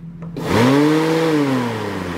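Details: 1991 VW Vanagon: the radiator fan spins up fast to a steady full-speed hum and won't stop. The AC switches were ruled out; the owner suspects a stuck radiator thermo switch.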